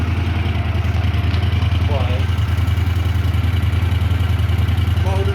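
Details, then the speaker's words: Honda CX650E prototype motorcycle, first start during restoration with carbs, wiring and cables refitted, cold engine, revved: smooth even idle about three and a half pulses a second, quiet and responsive, no knocks or misses; normal idle. "sounds good nice and quiet it's cold and I just reved it and it's responding still"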